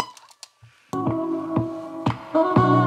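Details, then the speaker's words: Panasonic RQ-V520 radio cassette walkman, 35–40 years old, tape playing in the forward direction: dull, muffled music missing its treble; forward head position deteriorated, losing fine detail, not a cleaning issue. "is just because the head is deteriorated and the forward position had vanished the edges and fine details of the edges"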